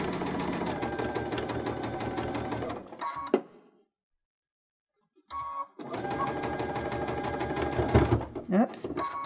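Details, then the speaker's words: Baby Lock Unity 22 sewing pintucks with a cord: heavy thumping stitch rhythm, stopping and restarting, as the needle sews through extra thickness where the cord caught underneath. "you hear that thumping sound that's because my cord caught underneath there and it was making it a little bit thicker I was sewing through the thickness of that"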